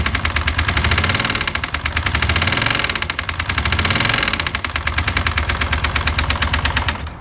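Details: Suzuki SV400 motorcycle about 20 km after a homemade crankshaft repair, started without warm-up: loud sharp knocking about eight a second over rough idle until engine cuts; connecting rod has come loose again, engine finished.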